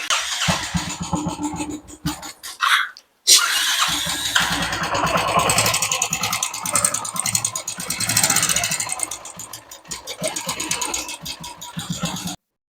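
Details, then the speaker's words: Royal Enfield motorcycle at idle after start: light tick-tick tapping keeping time with the idle thump; mechanic suspects the hydraulic lifter, to be adjusted. "हमको लगता है ये चीज आवाज है इसका ड्रॉकर का तो हाइड्रोलिक फार्म का आवाज है"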